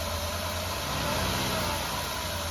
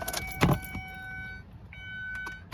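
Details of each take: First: Mazda Tribute 3.0 V6 (Ford engine) with a misfire code on cylinder 5, whose coil sits at the front: a low, uneven, lumpy idle as the engine shakes from the cylinder misfire. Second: Mazda Tribute Ford 3.0 V6 after cylinder 5 misfire code, spark plug threads cleaned and coil reinstalled: short crank catches quickly, settles into a steady, even idle with no stumble or miss; smooth running.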